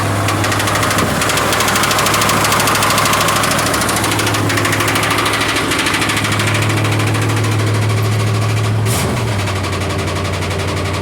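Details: Cold start idle: fast, sharp ticking roughly three per second, described as just a little lifter tick; valvetrain tick suspected, cause unconfirmed.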